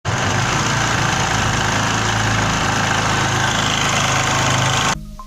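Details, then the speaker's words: Motorcycle engine clatters loudly and coarsely like a tractor at idle after the head was recently opened: a loose timing chain slapping inside. "ये जो आपने ट्रैक्टर जैसी आवाज़ सुनी है ये टाइमिंग चेन की आवाज़ थी। टाइमिंग चेन लूज होने की वजह से इस तरह की आवाज़ आती है।"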